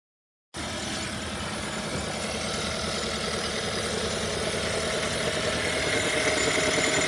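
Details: 2017 Hyundai Sonata plug-in hybrid petrol engine: a quick, steady, sharp ticking over a bright, clattery idle. Cause unknown; two shops said the engine is fine, while one mechanic predicted failure.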